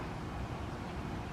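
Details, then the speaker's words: New 2020 16 SEER two-stage heat pump outdoor unit, probably installed a month or two earlier: steady even low hum with no knocks, rattles or squeals; compressor and fan running like brand new. "like it's running brand-new"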